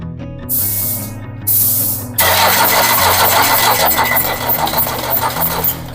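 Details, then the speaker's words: Diesel engine cranked on the starter for about 5–7 seconds with a compression tester fitted: even compression beats, about three a second, over music. The gauge reads about 260 psi; healthy cranking. "Nah, setelah itu kita starter untuk melihat seberapa tekanan kompresinya. Baik, kita lakukan starter ya. Kita starter untuk mengetahui tekanan kompresinya."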